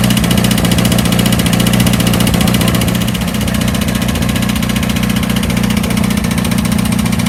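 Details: 1982 VW Vanagon Westfalia diesel after new battery, glow plugs and starter, chilly day, started: steady even diesel clatter at idle, about four beats a second with low rumble, no misses; normal idle.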